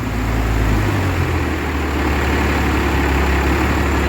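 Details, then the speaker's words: Heavy diesel started after injector lines refitted: catches and chugs unevenly, lumpy low beat, missing because three of six injectors had no fuel. "so it made that noise because three injectors had no fuel but three did"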